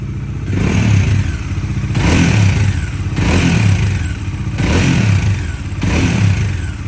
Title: Dominar 400 UG 2022 model Engine Noise , problem unknown.